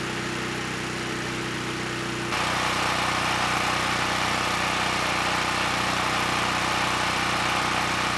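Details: Honeywell HW5500 5500 W generator, 337cc, after Hipa carburetor, replacement tank and insulator fitted (previously surged on choke, stalled off choke): steady even drone stepping up slightly around two seconds, holding speed smoothly without hunting; normal running.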